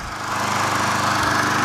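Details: Curb-find Craftsman 20-inch mulcher push mower after carburetor cleaning, running about five minutes: small single-cylinder holding a steady, even beat with no stumble or surging; runs cleanly.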